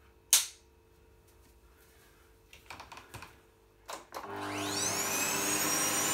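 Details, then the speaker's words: Healthy motor run of a new, old-stock Gold-tec 1600W vacuum cleaner at first power-on, with the hose attached and no vacuuming. Clicks and a plug-in knock, then it spins up smoothly to a steady, even high whine while plugged into an energy monitor. "However, I am going to plug it in just to make sure it works and just so you can hear what it sounds like."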